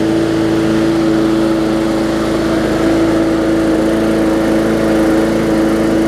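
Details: Bolens push mower with Briggs & Stratton engine, after no-start repair (bad fuel, carburetor refitted): steady even drone, no misses, surging or hunting; runs smoothly.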